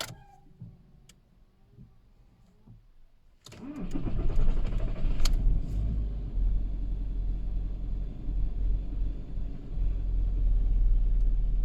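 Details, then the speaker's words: VW Caddy/Seat Ibiza 1.6 TDI CAYC diesel after cambelt and high-pressure fuel pump replacement, with easy start sprayed and weak battery: steady rhythmic cranking that never catches; still cranks but won't start, same as before. "after all that is still doing exactly the same thing"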